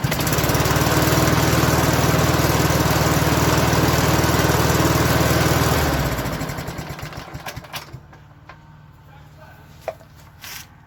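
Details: 1987 Toro OHV 20628C lawn mower with a 4HP 141cc Suzuki engine, after an easy fix for a no-start. It holds a steady, even low chug at constant speed for about six seconds, then is shut off and coasts down; normal running.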